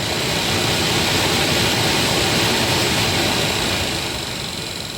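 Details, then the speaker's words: 2013 Toyota Highlander 2WD, 117,000 miles, blower motor in the passenger footwell run on low with ignition on: steady fan rush with a faint regular tick about twice a second, fading as it slows; failing blower motor needing replacement. "look at it we are back to that annoying clicking sound so we know this unit is"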